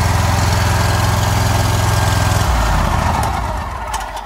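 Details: John Deere Z Trak mower that wouldn't start on a parking brake code, after tightening the parking brake and a little choke: fires with a quick, even beat for a couple of seconds, then eases down smoothly without misses; starts and runs cleanly.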